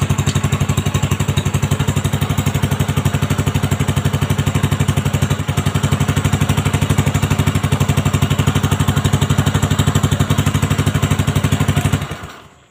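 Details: Honda Supra X 125 just after fitting a new cylinder block set with a standard-size piston and reinstalling the exhaust and carburettor: even idle thump of about four beats a second, steady and clean up to shutoff, no rattle; normal idle.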